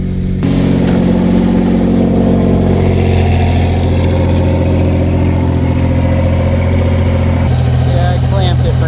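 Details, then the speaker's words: Fiero GT V6 after replacing a cracked catalytic converter that caused the exhaust leak with a custom one: starts and settles to a steady, deep idle with light blips; exhaust now sealed. "now that sounds better"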